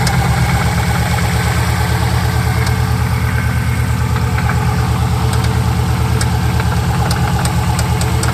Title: Subaru Rod Knock or Piston slap?